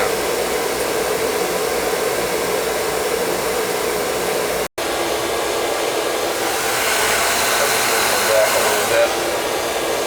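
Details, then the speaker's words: Viessmann oil-fired boiler burner after a new nozzle, reset pump pressure, air band adjustment and good oil flow: steady, even roar of blower and flame with no spitting or sputtering, firing normally on a windy day. "Alright, new nozzle, reset pump pressure, and good oil flow. You can hear it's not spittering, sputtering or nothing."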